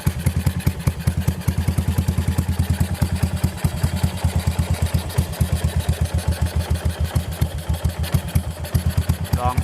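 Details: Yamaha SR400 single-cylinder at idle before repair, owner complaining of loud engine: steady beat with busy mechanical clatter on each firing, valve rocker arms found with side-to-side play.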